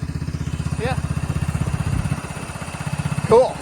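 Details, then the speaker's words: 1999 Cub Cadet HDS 2135 riding lawnmower on a cold start, idling with an even, low putt-putt purr, steady firing beat, no misses or knocks; normal idle. "Listen to that Cub Cadet purr. That was on the cold start too."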